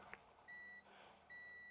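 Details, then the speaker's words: BMW E60 with a P0442 small EVAP leak: a multimeter on the removed purge (tank breather) valve gives two clean continuity beeps and reads 34 ohms, within the 27-40 ohm spec, so the coil is good; a broken connector clip was the suspected leak. "Get a connectivity going here until it's you hear the beep. And we can see it's 34 ohms. My research shows it should be about 27 to 40 ohms for a good valid one."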